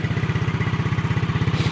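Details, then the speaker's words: 2009 Yamaha Mio single-cylinder scooter at idle after a kick start: an even, smooth, steady beat with no rattle or misfire; the engine and CVT are described as smooth and the exhaust not smoky, a normal idle. "Mesin halus ya. Halus mesinnya seperti ini. Bisa lihat suara halus CT juga halus ya."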